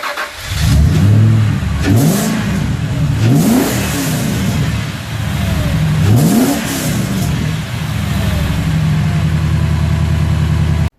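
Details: Ford BA XR8 V8 just after installing an eBay cold air intake kit with pod filter, airbox and BA piping: fires up, revs cleanly in rising sweeps, settles to steady even idle; sounds healthy.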